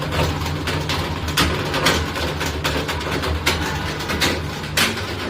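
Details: Bosch washing machine gives a steady low motor hum with irregular sharp metallic clatters from a coin trapped in the drain pump; the fix is opening the bottom-right drain pump cover and fluff filter to remove it.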